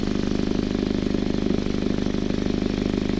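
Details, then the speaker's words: Idling four-cylinder car on jack stands, heard from underneath: a rapid, raspy puffing chuff where exhaust escapes at a bad flex pipe with discoloration; exhaust leak at the flex pipe. "I'm gonna show you where that exhaust leak is I can feel they're escaping right over here where this flex pipe is"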